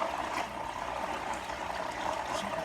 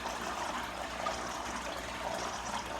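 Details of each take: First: Marineland Emperor 400 aquarium filter before fix: loud, gravelly grinding buzz under gurgling water, impeller sounds crumbling inside and not pulling enough water to spin the bio-wheels. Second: Marineland Emperor 400 aquarium filter after fixing the impeller, which wasn't pulling enough water to turn the bio-wheels: steady water trickle and splash over a faint even motor hum; running quietly and normally.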